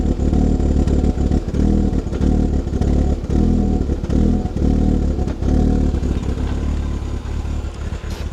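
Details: Audi that had sat, with bad-smelling exhaust: the engine revs unevenly with a ragged, stumbling beat, running rough and misfiring; the owner suspects old gas, not confirmed.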